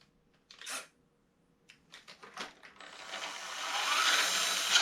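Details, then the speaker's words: GMade GOM RC on auxiliary channel: a few clicks, then motor spins up smoothly with an even whir, no whistle anymore; normal motor run without whine. "là c'est lainte tu entends ça siffle plus"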